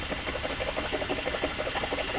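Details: 2004 BMW X5 engine with rough, lumpy idle: uneven thudding pulses about six a second under a loud hiss as cylinders 2 and 3 misfire (codes P0303, P0302, P0300); owner has a cracked ignition coil and swaps coils to find the fault.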